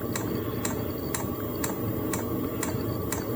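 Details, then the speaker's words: Maxpeedingrods 17000 BTU 12V diesel heater starting, 2kW mode, fan about a third, exhaust beginning: crisp single ticks about twice a second over quiet fan hum, dosing pump metering fuel normally. "all right just heard the pump kick on I hear the heater kicking on I hear the exhaust coming out a little"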